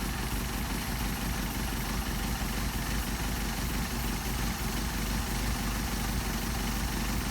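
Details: Mercedes 190SL with Solex carburettors, synchronizing airflow and adjusting the idle mixture screws: steady, even idle with no misses, stumbles or hunting; mixture set at the point of best rpm and smoothest running.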